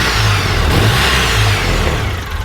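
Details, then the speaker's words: UTV just revived, coolant still needing burping, injectors uncertain: engine climbs cleanly through a quick rev and drops back without stumbling or popping. Normal revving. "we need to burp this coolant it's running good every time I rev"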